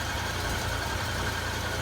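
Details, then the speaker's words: 1997 Jeep Wrangler TJ 2.5 L four-cylinder after a remanufactured head swap, with vacuum lines and high idle fixed: steady, even, smooth idle hum with no ticking or knocking; normal idle. "You can hear how good it sounds."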